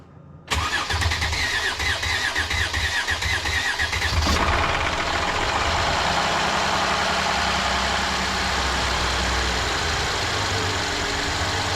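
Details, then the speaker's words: Mercedes M276 engine (GLE 350 type) first start after PCV valve, high-pressure fuel pump and intake reassembly: starter churns about four seconds with fuel lines dry before it catches and idles; extended cranking before start. "Yeah, lines are dry, so it takes a little bit of cranking, but it's not recommended to crank without fuel in the high pressure pump."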